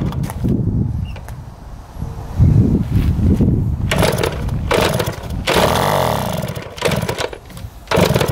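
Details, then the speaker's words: 1971 Yamaha JT1 mini enduro two-stroke, stored about 30 years, with 133 psi compression: ragged, raspy running that surges and sags without holding a clean beat, because the exhaust was clogged with mouse droppings or poison. "that is nasty it was clogged the exhaust with a bunch of mouse turds our poison it looks like"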